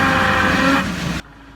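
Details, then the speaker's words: Damaged vehicle differential with pitting on the gear tooth flanks: loud driveline drone with a tonal whine that grows with vehicle speed, holds, then fades when power comes off. Differential gear pitting whine. "Esto también suele presentar un ruido molesto, sobre todo cuando la velocidad del vehículo va aumentando."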